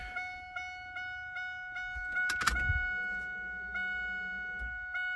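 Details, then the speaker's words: F-body after upgrade to an Aeromotive 340 lph fuel pump, key on: quiet, steady electric whine with a few light clicks, much quieter than the old pump. Normal fuel pump priming. "it's a whole lot quieter too and then to see that other pump is not on there so i ain't got to hear that big uh pump winding"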